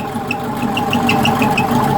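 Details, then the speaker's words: Type 4 engine from a 1976 Porsche 914 converted upright for a 1968 Beetle, freshly started cold with fuel pump primed: steady, even idle, light regular ticking over smooth hum, no misses or knocks; runs smooth. "वह चिकनी है वह ठंडी है और यह है पूरी तरह से चिकनी"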